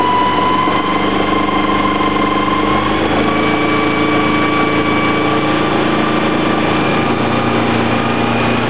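Steady idle rumble with a high thin tone riding over it throughout, pitch holding steady; a whine of unknown origin.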